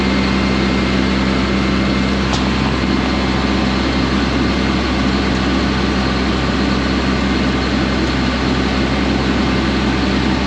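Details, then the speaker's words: Farm engine running with a constant deep diesel drone and even throb, no misses or knocks. The fuel pump was heard turning on, so the relay is not at fault; it was likely just dry on fuel and needed cranking. "you could hear the fuel pump turning on right I think it was just dry on fuel a little bit and it needed to be turned over a couple times"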